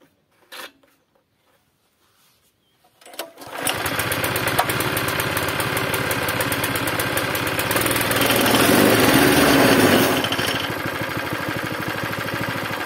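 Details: Zipper plate compactor with a small single-cylinder engine that reportedly smokes, runs unevenly, stalls and lacks power, with very little fuel in the tank. It fires, then runs with a hunting, swelling and sagging beat. Uneven running; carburettor and tank cleaning planned.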